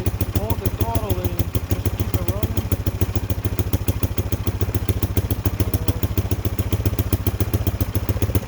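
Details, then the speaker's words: Cheap Chinese ATV, small single-cylinder just revived: fast uneven popping at about three to four beats a second, stays running only on held throttle; owner suspects the carburetor needs work. "I think the carburetor is probably gonna have to be worked on, but we got, it's alive."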